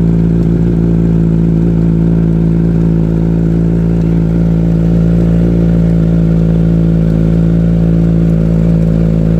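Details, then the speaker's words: Motorcycle chain just sprayed with lube, engine run about an hour to spread it along the chain: steady even engine hum with wheel turning, no chain clatter or rattle, very low chain noise; normal chain drive running. "Sau khi phun, chúng tôi cho động cơ chạy khoảng một tiếng để phân phối đều dung dịch dọc theo dây chuyền. Như các bạn có thể nghe thấy, tiếng ồn của dây chuyền rất nhỏ."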